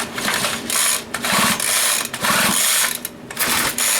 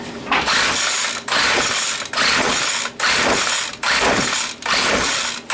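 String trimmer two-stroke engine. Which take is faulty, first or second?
second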